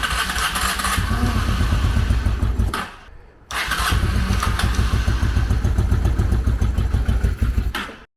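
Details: 1995 Honda Shadow VLX600 after years of neglect, choke on, starter fluid sprayed in: the starter churns in a steady fast chug, pauses, churns again, but the engine never catches. Cranks but won't start; cause not confirmed.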